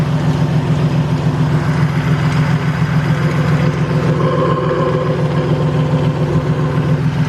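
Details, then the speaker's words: Toyota Tacoma at idle, heard through a cut-open water bottle used to pinpoint the sound: a dry, rough whirring under the engine note with a shaky belt. Worn idler pulley bearing, behind the ticking/knocking complaint; idler pulley replaced. "so we're getting a wearing noise from this pulley right here and as you can see the belt is like kind of shaky we're getting like a bearing noise from this thing"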